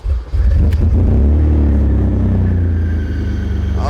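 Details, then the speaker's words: BMW E34 535i 5-speed, running and driving, no exhaust fitted: catches and settles into a loud raw unmuffled low blatting rumble; fan clutch and/or water pump also look about to fail. "if you guys can imagine there ain't no exhaust on this thing but uh let's uh let's let's try to fire it up shall we"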